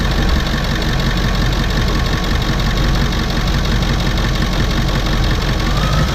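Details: 1998 Ford E350 bus with 7.3 Powerstroke diesel after fixing a hidden no-start fault with a new battery cable: deep, steady diesel clatter with no stumbling or dragging; normal start and idle.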